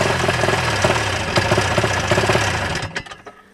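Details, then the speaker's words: 1987 Ski-Doo Safari 377 two-stroke, cold, with spark but no fuel: fires raggedly on the primer for a few seconds, then sputters and dies as fuel isn't drawn up. Owner suspects fuel line hardening in the cold and losing suction. "All right, so see, it does run, but the gas is not coming up. It's not filling this up."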